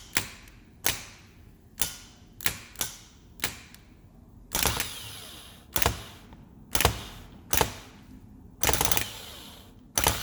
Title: Bad starter bench test range rover sport 2007 4.2 supercharged